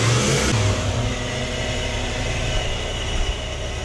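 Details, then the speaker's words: Toyota 1UZ-FE V8 swapped into a Toyota Surf/4Runner, running after rewiring on a rough base map. A deep, even V8 rumble picks up and settles back smoothly with no knocks, misses or ticks: normal idle and revs. "he runs that's on a total base map I just threw some reasonable numbers on it starts it idles it revs that's pretty pretty"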